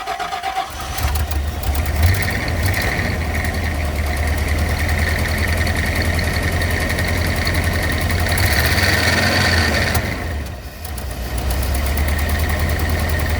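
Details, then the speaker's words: Rolls-Royce Silver Shadow II V8, revived after years in a field, started on fresh fuel: runs unevenly on a held throttle and stumbles when released. It still won't idle; dirty carburettors with a sticking needle are blamed, and HT leads may need changing. "Okay. So, still no idling. So, there's still the problem."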